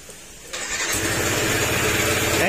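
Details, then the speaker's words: Yamaha NMAX 155 scooter, noisy engine, oil and coolant mixed, started with the drive pulley removed: cranks and catches, then a harsh clattering grind from the top end like stone being ground. Tensioner, camshaft, bearing and valve clearance are to be checked; camshaft damage found. "At check mo yung kanyang tensioner, tapos yung camshaft, yung bearing, kasi may kakaibang sounds na parang kala mo may kinigiling na bato."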